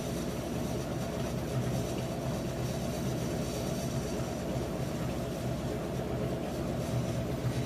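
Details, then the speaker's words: Whirlpool top-load washer WTW4816FW3, bought new July 2023, circuit board already replaced: steady low rumbling drone with irregular rattling, spinning instead of rinsing, new noises; owner checks whether metal is loose at back. "It's making new noises too, but still it's spinning. It's not rinsing."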